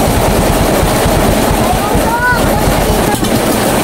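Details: Fuel-injected Honda Beat scooter (version 2) after hard-starting, idle adjustment and reinstalling the air filter: steady, even low putter with no stumbles or missed beats; normal idle.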